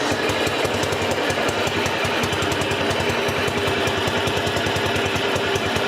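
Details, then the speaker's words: 1959 BMW Isetta single-cylinder idling at its first start in about 40 years: fast, even pop-pop with a faint extra whirr underneath, suspected to be the starter or transmission, possibly partly in gear; source unconfirmed. "Well, it's idling. Yeah. You can hear a little bit of a noise, Yeah. and I think that's probably that starter."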